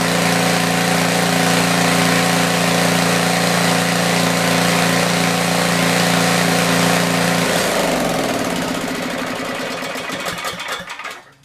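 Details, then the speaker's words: Tecumseh generator, believed 4000 W with 8 hp engine, long stored, after new feet were fitted: steady even hum with no hunting or misses, then winds down smoothly at shutoff; runs well and starts easier now. "Okay, well, there you have it. Runs good, feet are good. It's a whole lot easier to start now."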